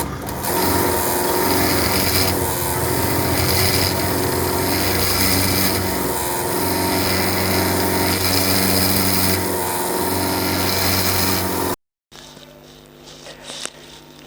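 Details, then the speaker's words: Soda machine pump motor: loud, harsh rasping whir with fast rough pulse about four per second over motor hum; far too noisy; suspected improper water supply with air bubbles, not confirmed. "आप लोगों ने video देख लिया होगी अब देखिए जैसा कि वीडियो में दिखा रहे हैं भाई साहब के उनका मोटर बहुत आवाज कर रहा है"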